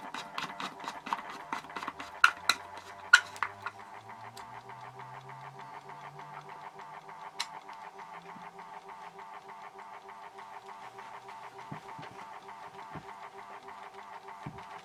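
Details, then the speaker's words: Horstmann VA Mk9 SRS2 rate changer time switch, 240V 50Hz synchronous motor, repowered with case back on: loud steady buzzing whirr with fine rapid flutter after a few early clicks; the case barely quietens it; normal. "As you can hear from that, that case doesn't do too much to quieten it down. It's still quite loud. Like I say, VA basically means very audible."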